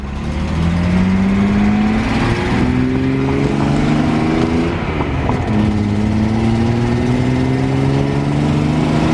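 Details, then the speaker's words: Datsun 240C straight six accelerating while driving: a rough, throaty, truck-like bark and chuff that rises with throttle, caused by an exhaust leak still to be fixed. "Wow, the big turd's heaps better now. Like, you can just, she still sounds like a truck, but it's got that exhaust leak, but"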